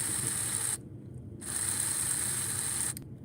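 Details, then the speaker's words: Slot car motor: a high, steady whine that cuts out briefly and spins back up to an even pitch; it sounds smooth and powerful, a normal motor run. "there she goes smooth as silk uh oh gotta be careful there see what happens when you start filling with it robert sounds powerful i'm loving it"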